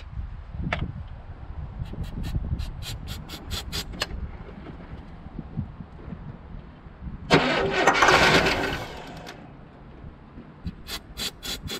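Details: Cutlass Supreme G-body after fuel pump replacement, pump not primed: starter churns in uneven bursts with a brief roar that dies away; cranks but won't catch, likely fuel-starved, needs spraying to start.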